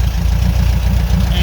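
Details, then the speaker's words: 1975 Porsche 914 flat-four with new points, condenser and repaired intake valve, headers only with no mufflers: loud low idle with slightly uneven rising-falling beat, a little bouncy and lumpy; improved from before. "everybody fires right up so that's an idle a little bouncy let me rev it up son"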